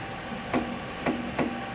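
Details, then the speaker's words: Solidoodle Workbench 3D printer printing base, belts seemingly reasonably tensioned, X axis fine: three sharp pops over steady low motor hum as the Y-axis drive slips and loses steps. "so and you can hear the little slipping here the popping that's going on in there but i'm not seeing any slippage back there"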